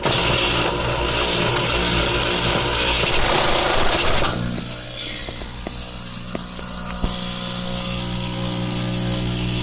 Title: Saeco 200 making horrible clicking sound